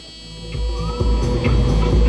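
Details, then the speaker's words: 1991 Mercedes-Benz 500SL with a hard-start problem: steady cranking thumps, roughly two and a half a second, that never catch or fire; cranks but will not start. "Doesn't start."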